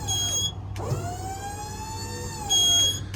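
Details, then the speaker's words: 2011 Ford F-350 4WD dump truck, 6.2 gas, 30-some thousand miles: high squeal with a pitch-bending lower tone as the hydraulic pump raises the bed; it tightens and squeals only going up, pump suspected. "I think it's all in the pump though, because you'll hit the button sometimes and it'll start working immediately, and then it'll squeal."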